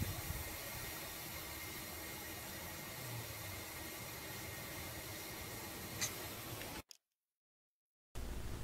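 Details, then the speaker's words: 2006 Ford 6.0 Powerstroke diesel, long crank cold, no start hot: steady loud hiss, like bleeding an air compressor, heard near one area of the engine versus metallic sound elsewhere; air leak in high-pressure oil system. "but I think I hear the hiss over here whereas over there it sounds metallic like it's just the air blowing through the engine going through the K case"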